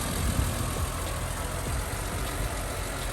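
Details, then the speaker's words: BMW E46 M3, bought cheap, possibly fitted with a K&N filter (unconfirmed): deep, steady, quiet idle after a quick rev, even rumble with no knocks or ticks; normal idle. "Listen how quiet that is."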